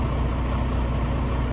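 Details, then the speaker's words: Freightliner Cascadia DD15 diesel, recently worked on, started before compression test and valve adjustment, check engine and ABS lights on: even, deep idle rumble, steady rhythm, no knocks or ticks; oil pressure about 60 PSI, idles healthy. "about 60 PSI I'm just going to round it up not a big deal the truck itself sounds really good I do like the way it sounds"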